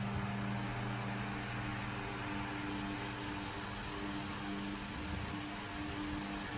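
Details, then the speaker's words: 1938 GE 12-inch oscillating fan (49X929), freshly restored and rewired: steady motor hum with even airflow rush, no rattle, tick or scrape, next to no vibration; runs smoothly and quietly. "the Fan's quiet runs great smooth next to no vibration blades are in very very amazing and it sounds really nice too"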